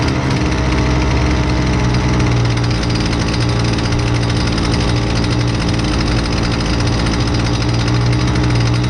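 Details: Husqvarna 128LDX two-stroke string trimmer, fixed after sitting unused: steady, even buzz with no misfires, surging or dropouts; running smoothly and holding speed.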